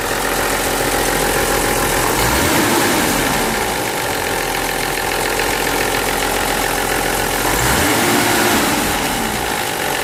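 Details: BMW Z3M/M3 S50B32 at low idle with two gentle blips: dry rattle ticking three to four times per second at low rpm after revving; VANOS rattle from failed seals, blocked filters, worn bearings and cam gears.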